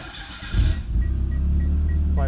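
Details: Peugeot 505 wagon, started with oil in the engine and the transmission serviced; brief crank, then it catches within a second and settles to a steady low idle: clean, normal start.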